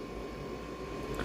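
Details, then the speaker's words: Dacia Dokker with an added 12/24/220 V air heater (webasto-type): a thin, steady high whirr from a very small fan that keeps running after the heater stops, though it normally shouldn't; cause unknown. "bir fan çalışıyor neden çalışıyor bilmiyorum Normalde çalışmaması lazım Onun ama çalışıyor İnce ama çok küçük bir fan"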